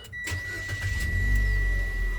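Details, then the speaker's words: 2024 Mitsubishi Xpander GLS, one year old, final start check after its stock battery caused a no-start: short crank, then catches at once and settles into a smooth, steady idle; starts normally, back to normal operation. "Okay. Kaya back to normal operation."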